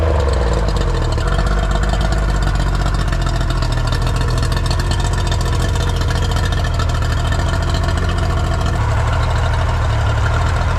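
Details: Older Yamaha two-stroke outboard: even, steady idle with a smooth low putter and no misses, knocks or hunting; runs well.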